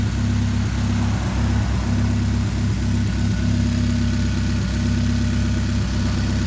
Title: Chevrolet Spark 2013 Misfire